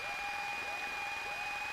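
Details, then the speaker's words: Piper Warrior in flight during a training lesson: steady high whine in the headset with a sweeping chirp about twice a second, pulsing in step with the beacon light; ELT beep suspected, not confirmed; beacon switched off. "I think I'm hearing an ELT beep. Do you hear that, like, weird noise? So that might be the beacon."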